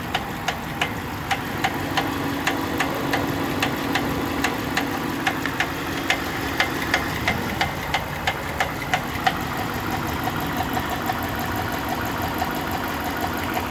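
A sharp, regular tap about three times a second rides over a steady idle, a clear knock from inside the engine.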